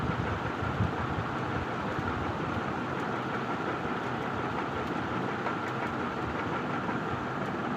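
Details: Ceiling fan after repair, running with a loud steady rushing hum and a faint regular tick on each turn. The fan runs rough and noisy, consistent with a wobble.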